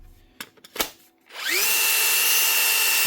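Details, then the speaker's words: Metabo SSD 18 LTX 200 BL impact driver after gearbox repair (fresh grease), tested on another battery; sharp start then steady high whine with no rapping, faster than on the flat battery; runs healthy. "Ah, it's a better job. Oh, look at that. Much better."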